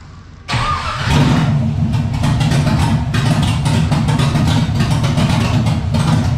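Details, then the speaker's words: 300ZX with a cammed C5 Corvette LS1 V8, T56 transmission and Holley Terminator EFI, first start after the swap: catches at once and settles into a firm, even V8 rumble with clean blips. Runs healthily. "she sings she hums she makes power pretty good power too"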